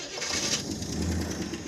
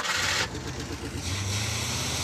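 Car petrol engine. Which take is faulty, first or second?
first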